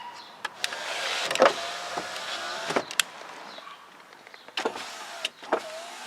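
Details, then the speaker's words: Smooth window motor hum with clean starts and stops, no grinding, in a Lincoln Town Car after jumping the unpowered yellow-green window wire to a wire that is live even with the car off; normal operation. "and then this one here that is the yellow and green wire that over here to runs the windows so now if I jump this wire the windows will work"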